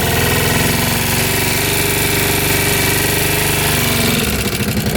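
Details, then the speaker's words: 2006 Kawasaki Brute Force 650 V-twin ATV, seller says it won't exceed 30 mph, smoking: fast sharp ticking over idle in neutral, sounding valve-like; top-end tick, source not confirmed. "you can hear the engine's a little wow almost like the valves hear that ticking"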